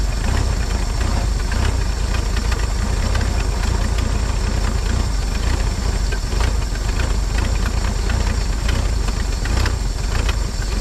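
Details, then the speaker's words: 1950 Chevrolet Styleline straight-six, parked about 7-9 years, first start on fuel: low rough rumble settling into a continuous idle without stalling; carb bottom O-ring suspected going bad. "come on baby did you just hear it kick in that's awesome that's it girl"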